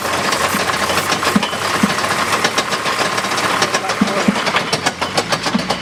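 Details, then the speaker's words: 1970 Jaguar E-type coupe, first start after sitting about four and a half years, in neutral: irregular light knocking and rattling over a rough idle, identified as the driveshaft rather than the engine. "i know what that is that's the driver shaft so it's not the engine making that noise fortunately it is in neutral"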